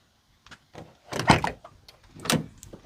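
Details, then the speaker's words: Chevrolet Astro van, shifting into park: two short buzzing clunks about a second apart from the faulty passenger-side door lock actuator. "people keep asking me when I put the uh vehicle in park they hear this sound it's been the actuator for this door here on the passenger side"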